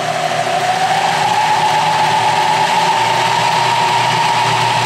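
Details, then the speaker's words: Clausing horizontal milling machine with a freshly rewired motor, wired for 220 volt and run through a long extension cord, belt guard off with the variable pitch pulleys exposed. Smooth, steady hum rising slightly as speed changes, no knocks or grinding; it works okay. "With the belt guard off, you can see the variable pitch pulleys here, and let me run it through its paces, and it seems to work okay."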